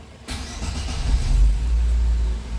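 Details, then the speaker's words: Chevrolet Celta after repair of a starting noise: starter engages cleanly and the engine rumbles up smoothly with no grinding or clatter; the noise is gone. "acabou o barulho"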